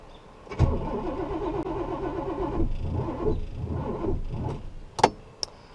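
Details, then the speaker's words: 1969 Buick Special Deluxe with stalling after a few minutes, carb rebuilt twice, distributor just turned to adjust timing: engine cranks, catches and stumbles unevenly for a couple of seconds before dying back; rough running, timing suspected off. "That doesn't sound good. Okay. Let's go a little baby bit more."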